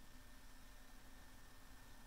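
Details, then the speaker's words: Macintosh Color Classic internal 250MB SCSI hard drive, still installed while booting from a SCSI2SD v5.5: soft, steady hum with a faint constant tone and no clicking; drive spinning idle with no seeks. "okay you still hear the mechanical drive spinning because it is still physically installed"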